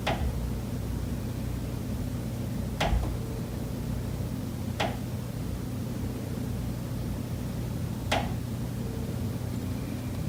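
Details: Condo unit, September: sharp single knocks at irregular two-to-three-second gaps over a quiet room hum. Pipes behind the kitchen wall knock constantly day and night, audible through the kitchen and living area; cause unknown.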